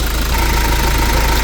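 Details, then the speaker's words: Diesel engine, stethoscope on the water pump area; the electromagnetic water pump was recently replaced, the belt tensioner is worn and the alternator is non-original. Steady idle with a faint high whirring. Probably the water pump, not confirmed. "agora eu coloquei o estetoscópio aqui para ouvir o barulho provavelmente é da a bomba de água"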